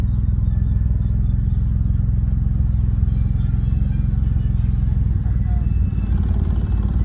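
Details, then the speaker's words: 2011 BMW 328i, hot out, rough idle persists after replacing the ignition coils: deep, uneven, lumpy stumbling idle; owner suspects the solenoids, not confirmed. "Still giving me that rough idle. this point, it might be the solenoid that's right here."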